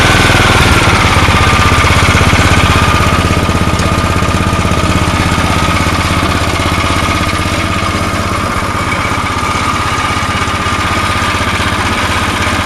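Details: Tecumseh single-cylinder snow blower engine with aftermarket Chinese carburetor, running after float bent to correct height: runs smooth and even at a steady fast idle with no misses or surging. Running normally.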